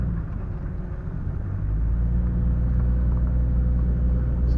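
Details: Jeep XJ front end turning in a circle after spraying lube on suspected rubber bushings: low rolling rumble with no rubbery squeak left; front end now quiet, normal suspension.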